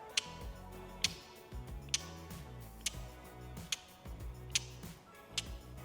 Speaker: that's usually the starter relay. It's meaning it's not getting enough juice to your starter motor, therefore not turning your bike over.